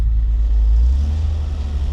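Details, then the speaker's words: Nissan 300ZX (Z32) convertible driving with an atrocious exhaust leak: deep, blatting, rough engine rumble, echoing badly when passing walls. "You can definitely hear it here. When you're driving like by stuff with walls or short walls, you can hear the echo real bad. Sounds terrible."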